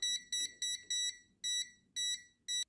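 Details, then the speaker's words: Toptes PT299 combustible gas detector probe held to scotch whisky alcohol vapour, repositioned before detecting: seven shrill high beeps gradually spacing out as concentration drops. "I actually have to change the position of the probe before it does actually detect the alcohol"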